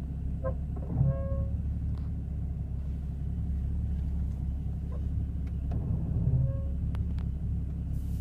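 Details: Porsche Cayman S (981) creeping along: brief tonal moans rise twice over a low rumble, a brake groan; owner asks whether it is normal.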